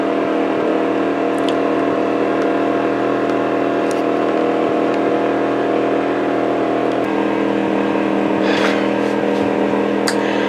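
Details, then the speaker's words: Wen 2350 inverter generator switched from eco to full-RPM regular mode, about to run a Dometic 11,000 BTU air conditioner with Micro-Air EasyStart: steady constant high-speed hum, no hunting or surging, light clicks; running normally. "The bloody thing seems to default to eco mode, and I just switched it to full RPMs, regular mode."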